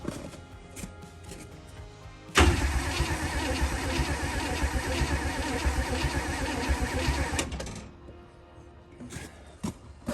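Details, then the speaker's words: 1965 Acadian Beaumont V8 being revived. The starter cranks at about four turns a second for five seconds but never catches. Crank no-start with no spark: there is power to the coil but nothing past it, and a bad cap or HEI control module is suspected. "I'm gonna say no spark again. Still no spark, eh? Maybe the cap is bad."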